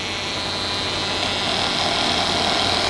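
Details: 1996 Monorail 7245 all-in-one desktop after returning from standby via standby switch: constant low mains-type hum under a loud steady hiss and buzz from the speakers; audio output noisy and needs work.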